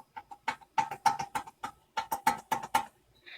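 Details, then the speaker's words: 1998 Jaguar XJR front hub, rotor removed, investigating pulsing brakes: clunk and squeak each time hub is rocked; front wheel bearing out of spec with play. "so I still have this play problem here"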